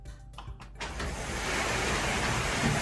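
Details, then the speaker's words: Genie Intellicode ISD990 screw-drive garage opener after replacing its faulty safety sensors: a couple of faint clicks, then the motor starts with a steady, even whirring hum; the door now opens and closes normally. "these models they typically run slow when they close and they should go fast when they open let's watch to see what happens"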